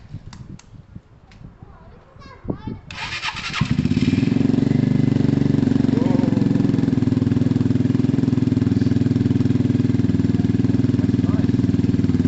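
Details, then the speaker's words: Free Yamaha TMAX 500 scooter started at first look, battery needed: a few clicks and a short crank, then it catches near three seconds and settles into a steady, even run; a healthy start. "That's half of the battle done for me, guys. That's brilliant. Did you hear how amazing that's how amazing that sounded?"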